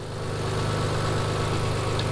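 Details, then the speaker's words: Twin-turbo Mitsubishi 3000GT VR4 6G72 DOHC on AEM Series 2 standalone ECU, timing locked around 15 degrees matching car, no load yet: steady even idle, smooth low rumble, no misses or hunting, not rich, lean or smoking; normal idle. "it's good it's right around 15. the computer is right around 15 everything matches it's not running rich it's not running lean it's not smoking at all"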